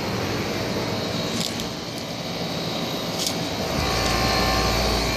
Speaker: There's the compressor noise. This one has been running, but it's not anymore. Suction line feels freezing, which is good.